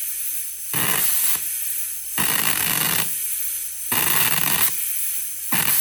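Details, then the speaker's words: Plasma cutter run at 120 V from a Taramps 12,000 W car amplifier, on thinner material: harsh sub-second hissing bursts that cut out and restart at irregular gaps. Arc unstable; cause suspected (120 V supply), not confirmed. "Well, this thing is really, really, really, really struggling to hold an arc at 120 volts uh even on something thinner like this."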